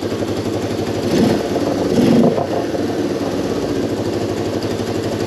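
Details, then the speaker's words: Moto 4 ATV after carb fuel screw adjusted one full turn out to cure idle hang: two throttle blips, revs fall straight back to a steady, even idle; normal idle return. "it's dropping back down a lot faster so I think that sounded pretty good"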